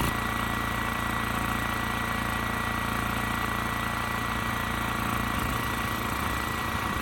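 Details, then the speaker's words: Westinghouse 7,000-watt generator with rusted gas tank and gummed carburetor: steady drone with faint uneven pulse and tone shift near end, running on choke and hunting slightly; frequency about 75–80 Hz. Carburetor suspected. "Carburetor isn't doing exactly the best job. I did have to keep it choked to kind of get rid of that surge."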